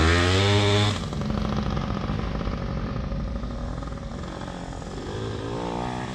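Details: PW80 two-stroke minibike, repaired, with a new rear tire and tube, described as pretty hot: starts with a sharp burst, then settles into a steady buzzing run with no misfire or knocking; healthy.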